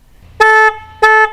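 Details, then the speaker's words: Harley Night Rod Special's old stock horn, played for comparison before the Wolo Big Bad air horn upgrade: two short, clean, steady mid-pitch blasts with no rasp or dropout. The horn works normally. "And here's what it sounds like now. Wow. Huge difference. Huge difference. Definitely recommend it."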